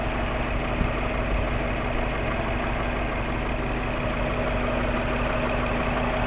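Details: Warm idle at operating temperature after spark plug, coil pack and timing belt checks: smooth steady idle with light even valvetrain and injector ticking, no low knock; suspected piston slap gone, vacuum steady 20 inHg, oil pressure about 38 psi.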